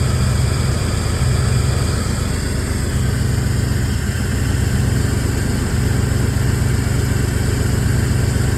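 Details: Engine with known exhaust leaks that runs rough, tries to stall when braking, low power, no check engine light: uneven loping idle pulsing about four times a second; owner suspects timing, cylinder head, distributor, cam sensor or MAP sensor.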